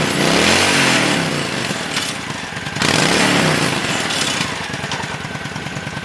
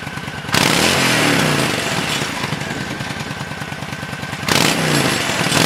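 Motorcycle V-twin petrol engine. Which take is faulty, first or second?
first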